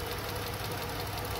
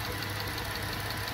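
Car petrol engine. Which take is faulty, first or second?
first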